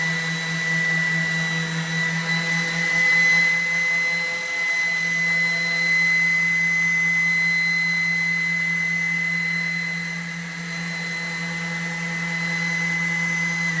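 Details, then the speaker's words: Sander hooked to a shop vac through a mismatched dust-extraction adapter while roughing up a surface with sandpaper: a steady high whistle over the even motor hum, from air leaking at the adapter. "I want an attachment that I can hook this up to the to the shop vac so it doesn't make this loud whistling noise."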